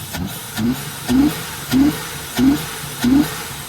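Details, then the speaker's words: VT V6 Commodore at first start-up: surging, sagging, labored idle about every two-thirds of a second that nearly dies when revved; throbbing muffler, owner suspects the muffler is shot or the exhaust blocked. "Oh, you rev it and it goes to die. Not happy."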